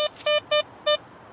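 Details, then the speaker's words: Blisstool V3 metal detector, discriminator toggle on 3, ground balance manual: three short clean high beeps with crisp starts and stops; target pinpoints a little better, though aluminum is discriminated less. "But by putting it there, I don't discriminate out as much as that aluminum. And see, it pinpoints a little better."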